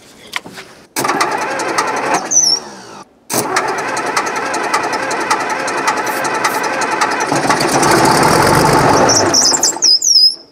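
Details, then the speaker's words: Case 1150 bulldozer, long-idle machine, transmission fluid found low and screen plugged; long cranking with ragged catches as one cylinder fires right away and the rest won't, hard start. "1 cylinder trying to hit right away. Yeah. The rest of them are not cooperating."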